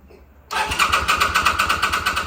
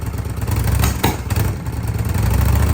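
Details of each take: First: 2005 Kawasaki VN800C, about 130,000 km, off the road since about 2015 and pulled from storage: starter cranks in even pulses about eight a second for two seconds without catching, on a recharged battery and fresh petrol; slow to fire. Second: 2005 Kawasaki VN800C V-twin, about 130,000 km, after storage since about 2015: lumpy beat settles after handling noise, then rises with a brief throttle blip; runs as expected.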